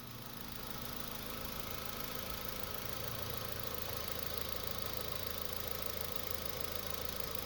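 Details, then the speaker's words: 2005 Honda Civic 1.7L idling after replacing a noisy purge valve (tapping noise) with a different brand: only a faint, soft ticking from the new purge valve remains, which is normal, no loud tapping; normal idle. "and just like that our new valve is on and the noise is gone although it is normal to hear it slightly but nothing like the other valve was"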